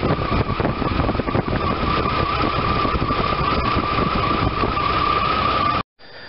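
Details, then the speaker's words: 1993 Chevy S10, 4.3 V6 non-Vortec TBI, after replacing squeaking alternator, serpentine belt, tensioner and idler, belt correctly routed: steady idle with faint even belt whine, no chirp, squeal or bearing growl; new pulleys running smoothly. "This one is going to be to show you the proper routing and also to show you how true the brand new pulleys run compared to ones with worn and ruined bearings."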